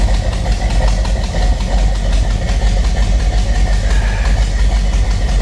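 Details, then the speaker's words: 1985 Chevy El Camino V8 bought wrecked at a salvage auction, at idle: deep, steady burble with an even lope and no knocks or ticks, a healthy idle. Owner suspects it runs slightly rich, with grayish-black exhaust. "sounds so damn good oh yeah i feel like she's running a little rich"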